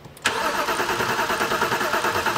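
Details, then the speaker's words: 2007 BMW 328i with crank, no start after nine modules replaced; spark confirmed with alternative fuel: starter churns the engine with an even cranking rhythm but never catches; fuel pressure gauge shows no fuel pressure. "got no fuel pressure on this vehicle so the beauty of this is now I can apply pressure pressurized fuel to the fuel rail to verify that the injectors are functioning"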